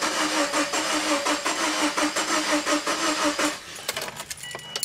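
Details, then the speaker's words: 2001 Subaru Impreza EJ20: starter cranks steadily about 85 beats a minute but engine never catches, no revs; finding: crank no start. "the engine's turning over oh is it yeah so that's not the stter that's not the stting by don't know what it just doesn't"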